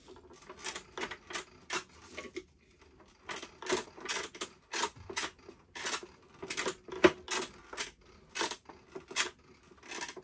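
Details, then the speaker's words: Leaperkim Sherman electric unicycle, running: irregular bursts of light metallic clinking every few seconds with no steady motor tone; loose motor axle nut rattling inside the hub. "when you turn it on and you start rowing it it makes a funny noise it's all shaky clink cling Noise"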